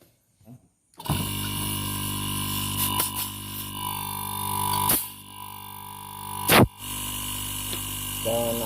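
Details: Refrigerator compressor after repair: it had seized from running out of oil and its line was blocked. After a short silence it kicks in at once and settles into a steady, even hum with a couple of clicks, sounding healthy.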